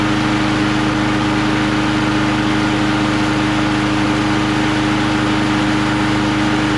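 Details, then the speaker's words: Lawn-Boy Quantum magnesium-deck two-stroke mower with black oil, started on choke; steady even-firing buzz at constant pitch, running cleanly with no misses. "let's choke it again now it sounds good hey i have a feeling this thing might work"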